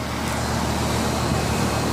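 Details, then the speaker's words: Newly installed Comfortmaker/ICP condensing unit running after a changeout: steady low hum with an even fan whoosh and no rattles or knocks. Head pressure good, a degree or two of subcooling, exactly 15 degrees superheat, normal running. "Running good. Head pressure looks good. We got about a degree or two of subcooling, and we have exactly 15 degrees of superheat."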